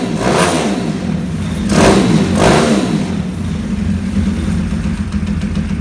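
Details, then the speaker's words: 2020 Orion RXB 150 single-cylinder pit bike, after chasing spark plug threads (10x1) and turning on the kill switch and fuel: revs a couple of times then settles into a steady, even idle with firm pulses; runs much better. "Fuel's on. Oh, kill switch. Runs way better. That's awesome."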